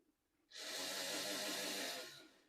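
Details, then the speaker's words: HO scale Penn Line GG1 locomotive with the shell removed and the drive shaft missing, given track power: a soft, airy whir swells and fades as the motor spins freely, running but unable to move. "And very clearly, it's trying to run. That's actually shocking. Obviously, it's not going to move, but it is running."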